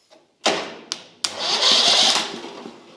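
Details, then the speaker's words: Lumbermate 2000 sawmill with a Briggs & Stratton Vanguard V-twin: sharp clicking from the starter solenoid with worn contacts failing to engage, then short whirring cranking when jumped with a screwdriver; starter works, solenoid bad. "So, that clicking you hear is the solenoid. It's trying to engage that magnet, but the contacts are probably all wore out and it's not it's not engaging."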